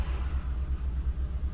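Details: 2015 Kia Cerato with constant shaking at idle: deep, uneven rumble with a lumpy pulse about three times a second; misfire counter points to cylinder 4, cause a faulty fuel injector.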